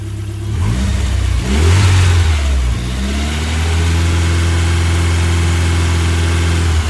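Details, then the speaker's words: Ford Escort Cosworth turbo petrol engine blips and settles into a steady, even fast idle, which is how it normally sounds once running again; a tensioner is suspected of starting to squeal. "That's how it normally sounds."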